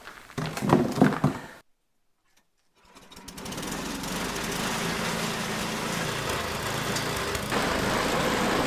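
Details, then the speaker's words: Tecumseh-engined MTD/Troy-Bilt snowblower after cleaning a gunked-up carburetor and dirty gas tank: a few seconds of clatter and a pause, then it catches and settles into a steady, even putter; running normally. "totally gunk up and dirty and the gas tank was dirty but now it seems to be working okay"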